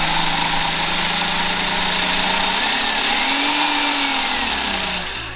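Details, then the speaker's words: 2011 Honda CR-Z race car's removed clutch throwout bearing, spun by hand: gritty, rough rattle with a thin whine fading as it slows, unlike the smooth new one; worn clutch release bearing. "compared to the new one you see this one is smooth and there's no rattly definitely heard that one"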